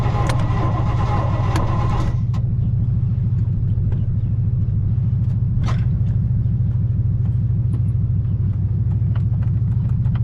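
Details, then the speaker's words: 1986 Baja Sunsport 190 boat, 350 CI MerCruiser Alpha One, in the water and already leaking: steady low cranking pulse about three per second, then the starter goes quiet, cutting out. "all right well sounds like the starter just tripped too so get to try another day"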